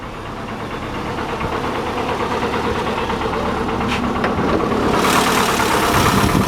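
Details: 1985 Chevy Cavalier CS station wagon started after sitting a long time: uneven, lumpy idle with a stumbling beat about three times a second that never settles; running with a misfire, otherwise not bad.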